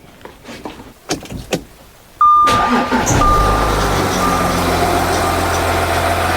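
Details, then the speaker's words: Audi Q7 diesel started after water pump replacement and coolant refill: a few clicks, then the engine catches and settles into a steady, even idle with no knocks or squeals. It is running fine and there is no leak at the pump. "So as you can hear, the engine is running. Everything looks good."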